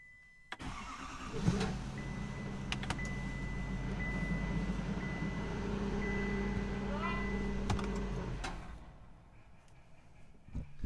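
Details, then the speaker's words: Wrecked 2023 GMC Denali Duramax diesel, restart after full reassembly from auction-salvage repair: fires within a second, settles to a steady even idle with low throb, no knocks, misses or leaks; normal start and idle. "fired right up I know and ran good that is a lot of work I gotta admit that was really exciting everything else looks good no leaks anywhere"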